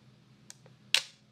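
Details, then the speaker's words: Yashica TL Electro-X SLR with Copal Square shutter, mirror locked up: faint lock-up tick then a crisp single shutter snap without the heavy mirror slap heard in normal mode; lock-up used at slow speeds to dampen slap, camera working properly. "I actually used it a lot when I'm shooting at slower shutter speeds to dampen the mirror slap and you can hear the difference here's what the camera sounds like in the normal setting and here's what it sounds like with the mirror locked"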